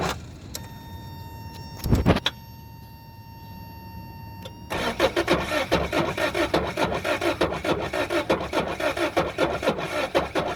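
A chime, then a rapid steady whirring crank of about four beats a second that keeps going without the engine catching: cranks, no start.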